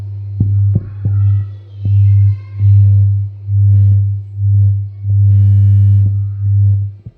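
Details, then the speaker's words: Polk Audio PSW10 subwoofer class-D plate amplifier fed a 60 Hz, 500 mV peak-to-peak test signal: a steady hum broken by sharp crackling and popping as the volume pot turns, worst at its low end. A volume pot issue is suspected. "I've got a 60 HZ signal at uh 500 molts Peak to Peak going into it you should be able to definitely hear the crackling sound now"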